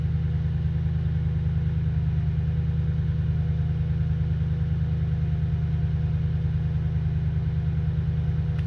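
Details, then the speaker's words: Toyota Tundra that had crank-no-start, hard starting and rough idle, after replacing the fuel pump driver/control module by the driver's rear tire: steady, even idle with a smooth low pulse, no misses or hunting; normal idle. "Well, it seems to be running good now."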